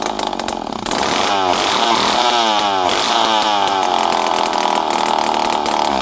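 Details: Poulan 5200 Counter Vibe chainsaw, unrun for 5-6 years, on the bench after carburetor screws were set around half to 1.5 turns, with no muffler. A loud, raspy two-stroke revs up cleanly and holds high speed with no stumbling. Normal running.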